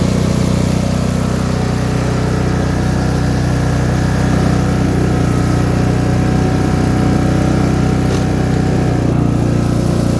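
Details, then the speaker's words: Free MTD lawn tractor with variable-speed drive, first start after engine reassembly, smoked at first: fast, steady single-cylinder drone without dip or hunting, well above a slow idle; idle set too high and needs adjusting down. "it's definitely idling hi guy trying get that Idol down a bit and we'll go from there"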